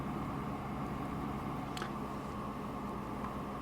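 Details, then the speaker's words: Inverter 5006 paraffin (kerosene) heater, 3.2 kW, after switching off: even steady cool-down fan whir for a minute or two, no rattles or scraping; normal fan run. "And as you can hear, the fan has come on, and that'll run for a minute or two just to blow cool air through the unit to cool it down."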